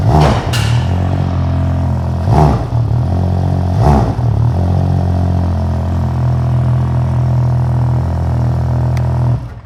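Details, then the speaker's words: 2020 Ski-Doo Renegade Ace 900 Turbo snowmobile, start after installing an MBRP Trail Performance exhaust replacing stock: fires to a deep, even burble with clean throttle blips, steady idle, no knocks or rattles; better than stock but not obnoxious. "Sounds good to me, a lot better than what the stock was, but not obnoxious."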